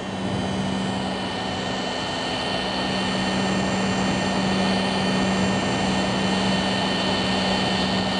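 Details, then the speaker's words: Tagan BZ-900 power supply paired with a Galaxy Tech 8800GT, running a 3D game menu with VSync off: a steady high buzzing whine over fan hiss; PSU coil whine at uncapped frame rate that stops when VSync is turned on. "You should be able to hear it even with it just sitting at the menu right here. It's making a buzzing"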